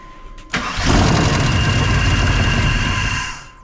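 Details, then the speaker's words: 1999 Suburban 3/4-ton 454 4WD, good compression, new ECM fuse, no mass airflow sensor: V8 catches into a loud idle with an uneven puffing tick about three times a second. Bad exhaust leak; something possibly rolling in the oil pan. "sounds like it's got a really bad exhaust leak"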